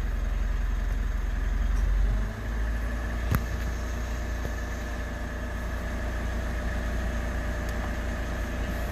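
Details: 3rd-gen Mitsubishi Montero/Pajero Sport, first start after weeks of quarantine sitting: revs settle after a couple of seconds into a steady, even idle with no misses or knocks; battery 14.1 V, starts normal.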